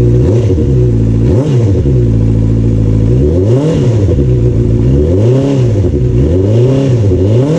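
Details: Honda CBR650R after an air filter change: engine fires and revs cleanly through several smooth blips, pitch rising and falling evenly, no knocks or misses. Normal start and revving.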